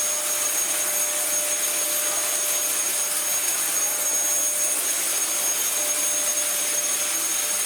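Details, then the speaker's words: Dyson vacuum after resetting the release valve: a steady, even high-pitched motor and airflow rush with no surging or rattles, running normally; only the brush roll is slightly dodgy and was slow to start spinning. "Marvellous. Bar the slightly dodgy brush roll, that works alright."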